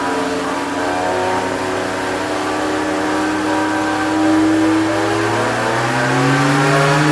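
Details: BMW 325i engine with a whirring tone that climbs in pitch as revs rise; owner suspects the alternator or guide pulley, not confirmed.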